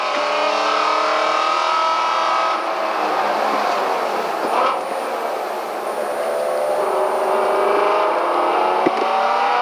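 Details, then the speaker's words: Track car after winter refresh (cam phaser and water pump fixed, new header wrap), oil pressure holding about 110 psi: strong, even engine note at high revs with tyre and wind roar, no misses or knocks; normal engine under load. "she sounds good let's start to play with it a little bit and see how it responds"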